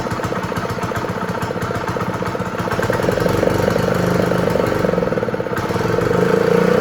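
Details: Honda GX120 small single-cylinder engine on a roofing shingle loader, first start after reassembly with spark and fuel confirmed, kill switch left disconnected: it chugs along steadily at modest speed with an even beat and no misfires. Normal running.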